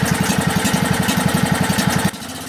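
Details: Husky 1850 W generator with a Mikuni T3044 carburetor, about 5 hp single cylinder, converted to natural gas: the engine chugs with even, quick firing pulses, then the note drops away; running smoothly on gas.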